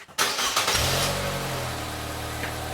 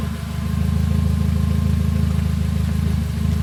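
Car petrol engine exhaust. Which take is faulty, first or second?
second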